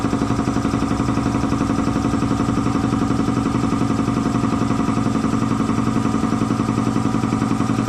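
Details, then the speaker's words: Air compressor slowing down after an oil change to synthetic oil, first thought to be tying up: piston pump thumping at a steady beat but sagging and labouring under load; a way-loose slipping drive belt, tightened afterwards, then worked fine. "Oh yeah, way loose. Well, let's tighten that up and try again. Maybe that's all it was."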